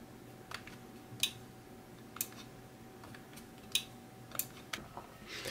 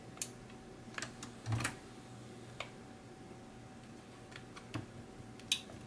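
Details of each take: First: 1984 Sony TC-V10 tape deck on a rigged DC supply: sharp isolated clicks about every second against quiet as the relay switches when record is pressed. There is still no audio output and the meters are pegged. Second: 1984 Sony TC-V10 cassette deck, powered without service manual, meters pegged and no output: a few sharp, dry clicks over a faint steady hum as record is pressed; relay pulling in properly.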